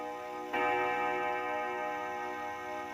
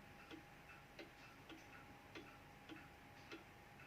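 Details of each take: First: 1936 Junghans W64 five-rod chiming clock, probably never renovated, striking seven: two clear gong blows about 2.5 seconds apart, each with a long even fade; strike healthy. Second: 1936 Junghans W64 pendulum clock, never renovated, ticking quietly with tick and tock unevenly spaced, a limping rhythm; the clock is not yet in beat.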